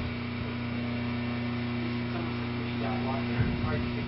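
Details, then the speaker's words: Induction motor running at full voltage without power controller, drawing 6 amps: loud steady mains hum with rough buzz. "oh well it's drawing six amps get one one meter six amps okay and you can hear the noise how noisy that motor is"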